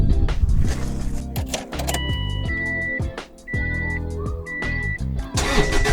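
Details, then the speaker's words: Subaru Baja Turbo, freshly rebuilt engine, first start with fuel pump fuse pulled: starter cranks steadily about four beats a second without firing, deliberately priming oil until the oil pressure light goes out. "Okay, so I pulled a fuel pump fuse. Now I'm gonna crank this thing until my oil pressure light goes out. Put the fuse back in, and we'll see what happens."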